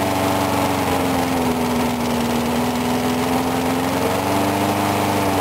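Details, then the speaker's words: Briggs & Stratton single-cylinder mower engine cold-started at 35°F after long sitting, water suspected in the gas; started first pull. Even, steady speed with no misses or surging; normal running. "Anyway, I was surprised it started up on that first pull, because it's been sitting for like ever, and there's water in the gas"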